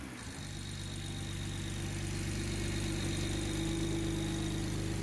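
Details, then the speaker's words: BMW 335i after installing new aftermarket ignition coils for a misfire, swapped cylinder 1 and 2 wiring corrected: engine catches and settles into a smooth, even idle with steady low hum, no stumble or misfire; normal idle. "We started the car already, as you saw, and it ran perfectly."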